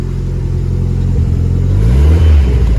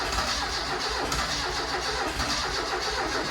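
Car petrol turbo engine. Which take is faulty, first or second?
second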